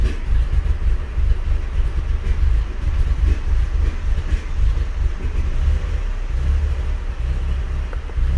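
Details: VW MK4 GTI with low vacuum reading and B1S1 O2 sensor heater and malfunction codes, smoke tests found no major leak: deep uneven stumbling engine rumble; misfire, cause not pinned down.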